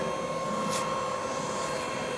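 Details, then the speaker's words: BMW X5 driving again after a cracked transfer-box part was replaced: steady cabin road hum with a faint even tone, no clunks, knocks or vibration through the drive; driveline sounds healthy. "okay so that fix it is driving again which is good news"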